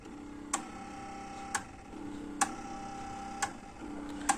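Steady low motor hum with a soft click about once a second and no music; the motor spins but the worn belts prevent playback.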